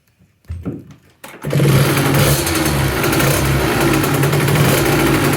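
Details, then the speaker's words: 2007 KTM 65SX after a Vertex piston top-end rebuild, first start: after a couple of kicks it fires and settles into a steady, even two-stroke idle with no rattles. It idled about 10 minutes for its first heat cycle and runs healthy. "the ktm lives just finished heat cycle number one let it basically idle for 10 minutes see the radiator toasty"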